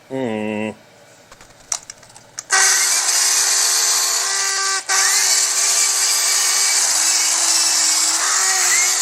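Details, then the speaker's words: Corded drill used for grinding during 1956 Ford Fairlane front suspension bushing work: harsh, raspy roar with a wavering high whine; motor sounds strained and started smoking, overheating. "got out my drill my corded drill to do some of this grinding but I don't think it's supposed to sound like that"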